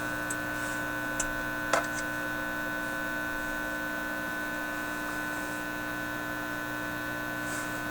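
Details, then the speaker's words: Teletone 67-600E record player stereo amplifier at raised volume: a steady low power-supply-like mains hum with a buzzy edge and light clicks; suspected sensitivity to electrical noise from modern shop devices, not fixed. "it's much more distinct now it sounds like a power supply hum and raising the volume yeah lots of sources of noise right here in my shop"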